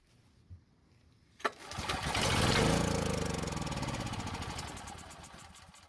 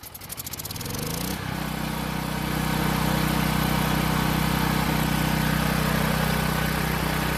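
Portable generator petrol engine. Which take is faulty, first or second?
first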